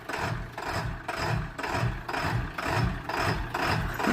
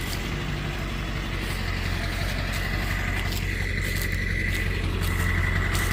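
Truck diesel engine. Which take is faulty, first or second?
first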